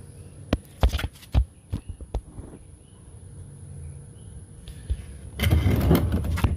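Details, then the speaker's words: Craftsman 6.5 hp push mower with Briggs and Stratton engine, curb find, after carburetor cleaner and with spark tester fitted: quick recoil pulls, engine spins but never fires; no spark. Later found low compression, bad carburetor, ignition coil and valves. "still ain't sparking and starting. So, something is a miss here."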